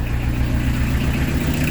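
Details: Peugeot 205 TD diesel with newly fitted Motorpal 4M injection pump, started after preheat: steady, even idle clatter with smooth low beat and no misses; normal idle, all cylinders firing cleanly.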